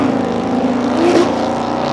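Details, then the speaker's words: Supra on a drag pass, launched near 2000 rpm: in second gear, as soon as boost builds the engine instantly hits and bounces off the rev limiter without pulling; strong clutch smell afterward. Clutch slip under boost. "that's not the tires breaking loose that was completely the clutch so i kind of i let off grab the third try again and as soon as it makes boost it's just on the limiter again"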